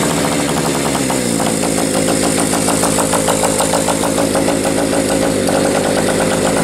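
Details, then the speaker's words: Bike single-cylinder engine at steady idle, beat around 300 per minute with uneven skipping firings; owner sees sporadic, inconsistent spark and suspects a valve not seating fully; intermittent misfire, cause unconfirmed. "it's running I'm still wondering if that valve is a little funky might not be seating all the way but I'm definitely getting a sporadic spark it's not a consistent consistent spark"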